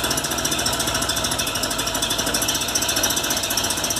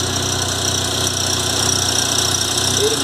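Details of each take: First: VW Golf Mk3 single-point injection (monoponto) petrol engine idling unevenly with stumbles and misfires; faulty idle air control actuator (idle speed actuator) causing the rough idle. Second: VW Golf Mk3 single-point injection, after fixing idle stumble by replacing the idle actuator: steady, even idle with smooth low beat, no stumble or skipped firing; normal idle after repair.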